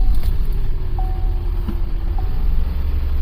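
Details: 2008 Buick Lucerne CXL 3.8L FWD with code P0300, shaking and hard to start: low, uneven idle with an irregular stumble; misfires appear on cylinders 3 and 6; ignition coil suspected.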